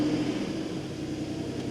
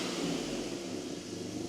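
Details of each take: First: BMW E39 528i after coolant system overhaul, fresh start with check engine light on about 30 seconds in: uneven, lumpy idle with irregular stumble; runs rough. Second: BMW E39 528i after a coolant system overhaul, once an unseated part at the fuel rail was reseated and the check engine light cleared itself; quiet, even hum with no stumble or vibration, idling much smoother than the earlier rough running.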